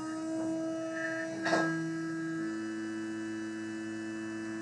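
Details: Small DC motor on a 12 V demo circuit after an open circuit was found and closed: brief switch click, then a steady hum with a clean whine at one pitch; running smoothly.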